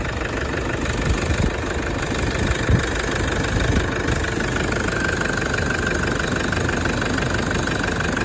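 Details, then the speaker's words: Toyota 1KD-FTV diesel right after new full injector kit, first start: steady, even idle clatter with a firm regular beat, no misfire or stumble; healthy running. "that's what it sounds like right and uh the only reason it sounded like it was under load is because straight away it went into reverse to get reversed out"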